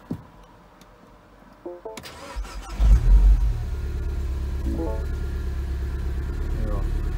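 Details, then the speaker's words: 2012 Mini Coupe JCW R58 (N14), donor block rebuilt after a melted piston, with Wossner oversize pistons, ZRP rods and ARP bolts. First start with codes cleared: a few seconds of cranking, then a steady, even idle with no knocks; healthy. "you're gonna get bulb warnings and washer bottle warnings but that's the first time this engine has started"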